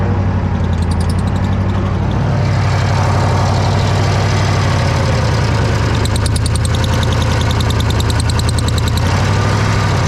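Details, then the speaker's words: Old Bobcat 600 skid steer idling, quieter when cold but worse warm and under load: heavy low idle with rapid sharp puffing tick riding over it; owner hopes exhaust gasket leak but fears head gasket or another cracked head (head previously replaced). "just a exhaust leak but my fear is going to be another head"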